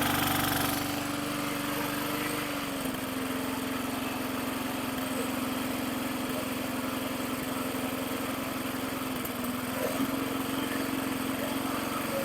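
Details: 2010 Yard Machines 22" push mower (MTD 11A-084E029), rusty, running after fitting an aftermarket carburetor and a rebuilt tank: a small single-cylinder engine with a steady, even run and constant pitch, no misses or surging. Normal running.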